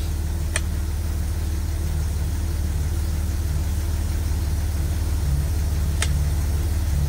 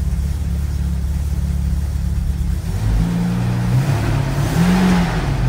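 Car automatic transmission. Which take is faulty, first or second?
second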